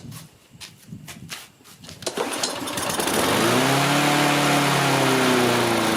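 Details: Dump-found Troy-Bilt TB360 mower, Briggs & Stratton 190cc, no throttle: several pulls, catches on starting fluid and revs unevenly, rising and sagging; owner thinks the carburetor jets are stopped up.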